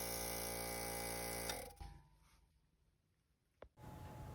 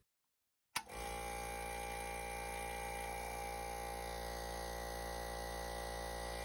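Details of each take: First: Sinko air compressor not making pressure: pump hums, then constant hiss of air leaking at the bleeding (unloader) valve, stuck always open, apparently due to a bent spring inside. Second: Sinko air compressor after fixing the bleeding (unloader) valve's bent spring: motor starts and runs with steady hum and even pumping beat, no air leak hiss; builds pressure normally.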